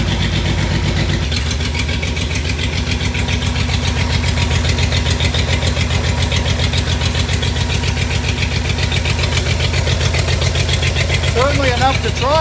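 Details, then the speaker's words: Short churning crank, then catching and settling into a lumpy, rhythmic low idle. This is a '62 Studebaker that is known to start hard. "All right, let's hook this ignition up and get rolling. This thing starts hard, doesn't"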